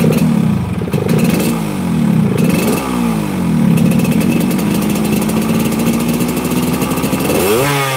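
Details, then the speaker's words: Motorcycle that is hard to start, sputters near 80 as if out of fuel, and has been to several workshops without a fix: revs stumble, sag and die when blipped, then sputter. It runs on gentle throttle only; cause unknown. "Jadi kalau hidupnya udah hidupnya susah giliran di blayer mati kalau gasnya pelan-pelan aja bisa tapi bayar mati itu masalah utama"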